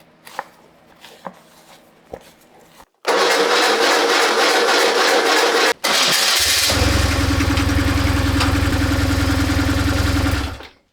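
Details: BMW R1150GS boxer after replacing the starter motor: a brief, even starter whirr with no grinding, then the engine catches quickly and settles into a steady idle.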